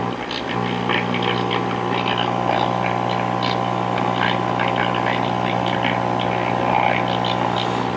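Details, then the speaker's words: 1940 Emerson DB-301 AA5 tube radio after across-the-line capacitor replacement, filter caps checked and resistors not open: tuning a station gives a loud steady low hum drowning it, only faint music behind; cause of the hum not yet found. "when you hit a station this is all you get that's about all you get you can hear a little music behind"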